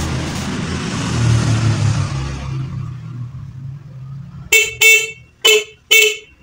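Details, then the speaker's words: Motorcycle horn tested after the horn itself was found at fault rather than the wiring and was adjusted; four short clear toots with a steady strong tone, horn now working. "Oke, teman-teman. Klaksonnya akhirnya berfungsi. Artinya, masalahnya ada pada klaksonnya sendiri, bukan pada kabelnya."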